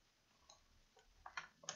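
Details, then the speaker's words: Acer Aspire 5349 laptop at power-on: faint sharp repeating clicks from a faulty hard drive, and the machine hangs at the boot logo. "i'm not sure if you can hear okay there's a clicking sound turning on and as you can see it's stuck here on the boats logo"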